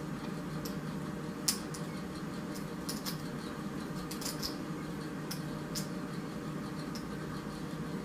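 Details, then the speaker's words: Mercury Optimax outboard electric pump test, wiring continuity good: few faint scattered clicks in quiet room, no running hum; pump engages but doesn't spin or pump. "I hear the clicking, but It's not spinning."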